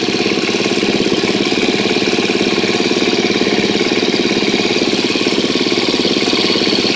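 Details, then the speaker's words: 2013 KTM 250 EXC-F after valve clearance check and Dirt Tricks cam chain tensioner install, first start with tank back on: even, steady single-cylinder idle with a regular beat, no ticking or rattle; sounds healthy so far. "well that sounds pretty good so far let's hope it stays that way"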